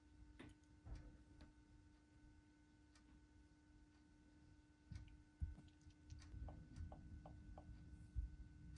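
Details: Porsche idling with cylinder 3 misfire (P0303): faint whine with uneven low rumble stumbling every so often.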